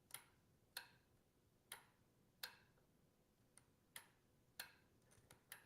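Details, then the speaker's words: Juicer lid safety micro switch pressed and released by hand via the handle-lock tab: sharp, crisp clicks at uneven intervals as the switch makes and breaks, with a strong spring; it snaps cleanly and works properly. "So and again when the handles rotate for the lock position, it presses down on that tab. And you might be able to even hear that switch making and breaking."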